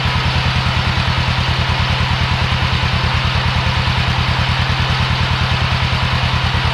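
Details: Old Yazoo commercial zero-turn mower with 76-inch deck, first start after sitting in a barn for many years: deep, regular thumping at about three beats a second, steady and even with no skips or clatter, a healthy idle.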